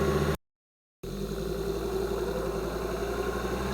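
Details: 2005 Volvo XC90 2.5T AWD accelerating from a stop, microphones beneath the car: steady mid-pitched whine over drivetrain hum near 2000 rpm when second gear engages; suspected transfer case or bevel gear whine, unconfirmed.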